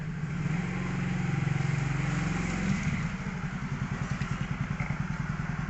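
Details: 2014 Yamaha Mio GT scooter on a road test after repair for smoking, power loss and frequent stalling: pulls up smoothly, then an even, steady putter of about two beats a second while riding; runs healthy.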